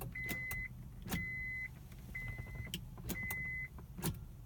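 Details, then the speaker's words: 2002 Acura 3.5RL with intermittent no-start, key-on after sitting since morning in a cool covered garage, foot on brake: four high beeps about a second apart, warning chime that normally sounds four or five times. "that you're hearing that and seeing that right there it goes four or five times that's kind of how it normally goes man"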